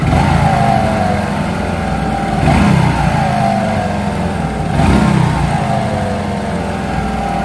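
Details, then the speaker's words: Hero Glamour 125, 20-25 days after clutch plate change, clutch lever pulled: steady rough rubbing drone under the exhaust, rising slightly with each blip; clutch bush rubbing the bearing collar/housing. "তো আগে আপনারা সর্বপ্রথম শুনুন যে engine থেকে একটা ঘসমাস sound আসতেছে, তারপরে আমরা সমাধানে যাব ইনশাল্লাহ।"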